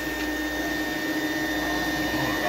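A steady, strained high motor whine with no surging; the airflow is choked by a clogged filter.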